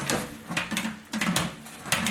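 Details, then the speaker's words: Large sheet-metal panel rolled through a homebuilt English wheel with a 3.5-inch radius wheel on a very loose setting: irregular heavy thumps and knocks as the panel bounces over hammered lumps. "okay guys got the panel in here and you can hear it's kind of jumping around on lumps we got"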